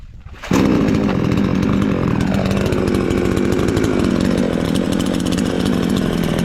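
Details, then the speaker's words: Chinese counterfeit "Stihl MS 461" chainsaw, newly assembled, after adjusting it with the bolt: saw fires up and settles into a steady, even buzzing run with no misses or chain rattle; runs smoothly, chain lubricated, sounds healthy. "a cool saw works, so everything is fine, as you told me, yes, I adjusted it here with that bolt, everything turned out well"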